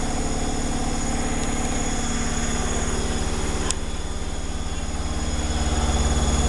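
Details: Zanussi Flexi Dose ZWG7160P washer on final spin with an unbalanced load, held around 1000 rpm instead of 1600 rpm; steady rhythmic thumping three to four times a second. Once rebalanced it spun at 1600 rpm without crackling.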